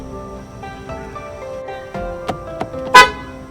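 A couple of short, clean horn toots with a clear steady tone and no rasp or weak note. The horn sounds healthy.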